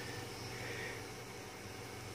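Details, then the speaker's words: DRV8825 driver on an MKS board running Marlin, current under a quarter of an amp, extruder stepper extruding 10 mm at 5 mm/min: quiet even hum with faint steady tones, not missing steps, each microstep perfectly smooth; normal stepper operation. "not missing a step that is perfectly smooth in step finding each micro step as it goes along"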